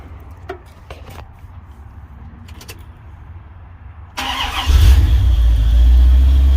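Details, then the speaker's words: Chevy Caprice V8 (LT1) started after exhaust leak repair with sealant: starter catches and settles into a deep, even idle with no ticking or exhaust puffing; exhaust leak fixed, healthy engine start. "Oh yeah, it sounds way different. I can tell. I don't know if y'all can tell, but I can tell definitely. Oh yeah, that's a definite fix right there."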